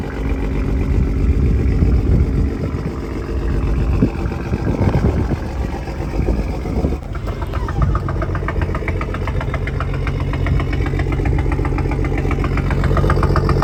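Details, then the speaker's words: Rebuilt Toyota Supra, recorded at the exhaust: steady rapid knocking over idle, about four per second; owner believes it is piston slap, unconfirmed. "that knocking sound you guys hear that is known as piston slap"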